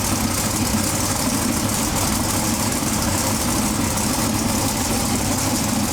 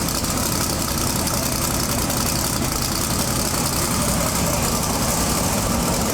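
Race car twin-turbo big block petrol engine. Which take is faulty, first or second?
second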